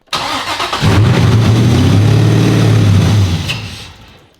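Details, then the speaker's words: Flooded 2015 Corvette Z06 7.0 LS7, first cold start after 7 years sitting; unneeded wires deleted that could stop the fuel pump. Engine catches with a burst, runs rough a couple of seconds, then stalls and won't idle; fuel issue suspected. "Houston, we have ignition. So it started up just a little bit. It did go down again, maybe some fuel issues again, but gotta keep trying."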